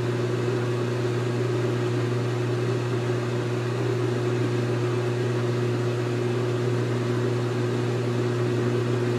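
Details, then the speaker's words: GE Infusor GTWN5050M0WS H.E. washer running empty, drain pump on: a loud, steady low hum with no change or rattle, louder than the machine itself; working normally, just noisy. "Oh oh and I'll get a cry out that's working the drain pump is louder than the machine"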